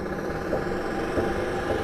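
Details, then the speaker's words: 1969 VW Karmann Ghia electric conversion with a NetGain Hyper9 motor and 7 Tesla Model S battery modules, first drive after precharge and contactor engaged: a quiet, steady hum with a faint even whine while creeping forward, no grinding. Normal running. "moving forward? yeah, it's going forward. There we go. We got another one running."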